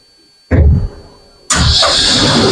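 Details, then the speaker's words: Consolidated autoclave with a manual door, deliberately left not tightened enough, starting a gravity cycle: a thump, then a sudden loud, steady hiss as steam leaks out around the door frame seal. "start to hear, it sounds different, so you can hear that steam, something's leaking. You probably can even see at this point where it's coming out around the frame."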